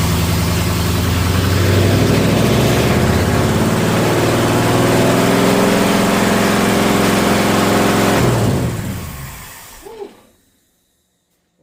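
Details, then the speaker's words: Engine with Holley Sniper 2 EFI after setting top dead center and adjusting distributor timing: even, steady idle with slight rev, no popping or backfires, clean shutoff; timing sounds much better; normal running. "Supposed to do that, but timing sounds way better. It's not backfiring, it's not doing any of that stuff, so that's good."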